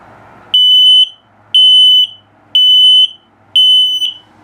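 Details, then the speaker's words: 2022 CrossRoads Sunset Trail 272BH RV LP/CO detector: loud shrill same-pitch beeps about once a second, four in a row, in a quiet room; slow same-tone beeping signals a low battery. "Also, if it beeps the same tone, but very slowly, it's telling you your battery's low."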